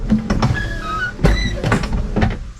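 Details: 1968 Pontiac LeMans wiper motor, after the intermittent no-wipe fault, with the wiper fuse refitted alone: starts on the switch, sweeps with even clunks each stroke and parks normally; fuse thought to be the issue.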